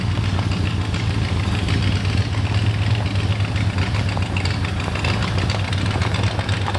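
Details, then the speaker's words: 1977 Ford F150 4x4 barn find after about 20 years sitting, back at the shop and struggling to stay running: deep, lumpy, unsteady rough idle with uneven low rumble; major vacuum leak somewhere, not yet found. "yeah she's running really really rough we got a lot of work ahead of us but I think we can fix all that"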